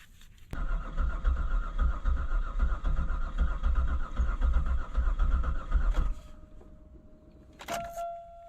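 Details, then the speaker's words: 2000 Buick Park Avenue cranking with new spark plugs after being hydrolocked with fuel, even with starting fluid: starter cranks at an even, steady pace for about five seconds but never catches; no-start, owner rechecks ignition and finds a corroded ignition control module plug pin. "not quite with starting fluid I can't get it to even kick so I'm checking the ignition again"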